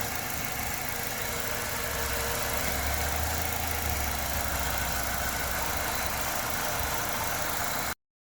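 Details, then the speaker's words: Structurally modified LPG-converted car after fixing poor contact in two field wires: steady, even idle with no stumble or shake, stays smooth when wires are wiggled; temporary repair, part still needs replacing. "차량 떨림도 전혀 없고, 이 안쪽에 필드선 2개가 접촉 불량이었습니다. 흔들어도 만져도 지금 문제가 없죠."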